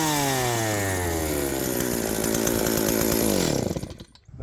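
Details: Stihl 028 AV Wood Boss chainsaw, sat unknown years, started on choke: high two-stroke buzz right after start, then revs drop off steadily and the engine winds down to a stop.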